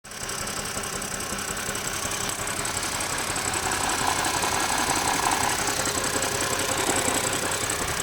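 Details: BMW E90 330i six-cylinder: uneven, pulsing idle that carries into the rev rise; rough running, misfire suspected but not confirmed.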